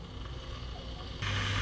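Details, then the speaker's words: Karaca Cool Touch double-wall 2200 W temperature-adjustable electric kettle, water starting at 31 °C, on/off button pressed to boil to 100 °C: soft hiss rising with steady low hum as element switches on; normal heating. "şimdi burada açma kapatma tuşuna bastığımız zaman otomatik olarak suyumuzu 100 sant derece olacak şekilde kaynatma işlemi başlıyor"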